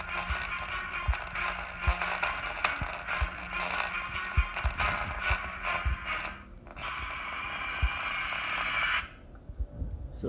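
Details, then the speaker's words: MacBook Pro Retina 13-inch (A1425/A1502) built-in speaker before repair: audio keeps breaking into scratchy pops and crackles; speaker crackling distortion. "that's it guys. Did you hear the cracking sound?"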